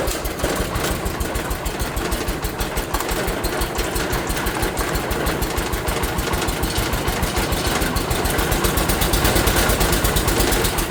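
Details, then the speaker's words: 1980 John Deere 216 tractor, cold morning start after pump leak fix, drive belt and PTO work: single-cylinder beat chugging unevenly on choke, slowly building, rough until warm; choke is stiff to work. "It isn't happy about the cold. This choke is not easy to push and pull easily and quickly."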